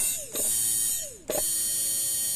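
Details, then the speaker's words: 2012 Hyundai Tucson automatic that cranks but won't start; removed fuel pump powered twice on the bench. Each time a falling chirp, then a high whine with a coarse, gritty edge instead of a smooth hum; worn pump suspected: rough fuel pump whine. "Ayan o. Iba na yung tunog o. Magaralgal na."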